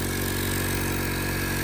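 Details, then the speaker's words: Crash-damaged, rebuilt 2025 Honda Accord at idle: steady constant rushing hiss of air escaping near the turbo; suspected turbo damaged in the crash, possibly needing replacement, not confirmed. "So guys, what we think the noise is, there's air coming out from right here. So I think when this thing got hit, I think this turbo might be bad as well now."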